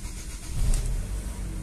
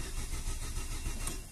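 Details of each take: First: Chevrolet Aveo ETEC II 1.6 with a fuel pump fault, started from the cabin after the pump was activated and fuel reached the injectors: cranks, catches quickly and settles into a steady, even idle with slight rev rise; healthy start. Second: Chevrolet Aveo 1.6 ETEC II, timing belt, spark, coil and crank signal confirmed OK: starter cranks with steady churning rhythm but never catches; diagnosed as fuel pump failure, no fuel.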